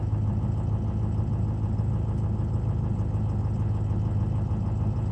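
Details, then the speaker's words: 2004, 147,000 miles, no-start when cold, oil filter drains down; cold start fired up pretty good, even low diesel clatter at steady idle with no misses, injectors seem fine; high-pressure oil leak suspected (pump seal?), IPR maxed out. "not bad I wouldn't pick on any injectors item it fired up pretty good"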